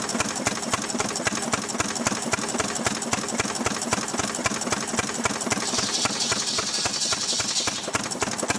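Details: Restored 6hp Fairbanks Morse Model Z engine on kerosene driving a buzzsaw cutting firewood: crisp, even beats about 220 a minute holding steady rhythm over saw noise; normal healthy running under load.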